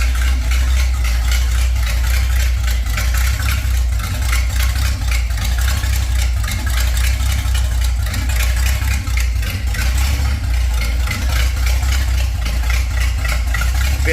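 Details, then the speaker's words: 1930 Ford Model A with a 283 small-block Chevy, parked since 1973, idling with the exhaust removed: deep, loud, raspy unmuffled bark at a steady rate through the old cast manifolds, sounding truck-like. Loud exhaust from open manifolds. "All right. That's uh that's a bit noisier. [Music] As expected,"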